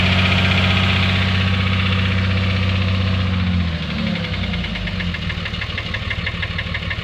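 Steady idle with a dull knock riding on every turn, about three a second, low and heavy; knock, cause not pinned down.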